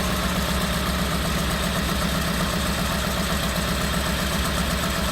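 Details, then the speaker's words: Daihatsu Hijet 1.3 EFI 16V in a Piaggio Porter, check engine light on, cylinder 4 misfire: petrol engine idling unevenly with an irregular low chug; misfire rough idle. "there is a misfire the engine is running really rough"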